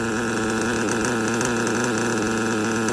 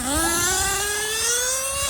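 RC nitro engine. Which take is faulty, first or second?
first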